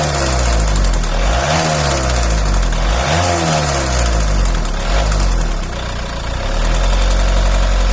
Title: volvo v50 strange engine noise. anyone had this noise?